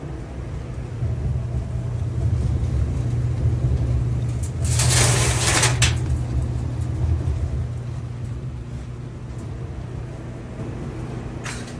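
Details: Whirlpool full-size vented electric dryer after replacing the failed idler pulley and belt tensioner that caused loud squeaking: a steady low drum rumble with no squeal or chirp on the final test cycle. Normal operation.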